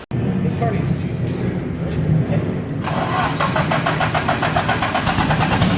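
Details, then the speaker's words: Nissan S13 engine suspected of having jumped timing, only runs with the CAS turned past its bolt holes: cranks, catches and runs with a lumpy uneven pulse and no steady idle; timing marks yet to be checked under the valve cover. "so that's what it sounds like when it runs but take the valve cover off we'll look at the time marks to make sure that that is the issue"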